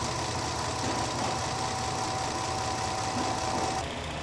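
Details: 2017 Jeep Grand Cherokee 3.6 V6 with new cam phasers, intermittent rough idle, no codes then P000C: low uneven lumpy idle with faint knocking and vibration; cause unconfirmed, lab scope shows exhaust cam movement, heavy oil leaks.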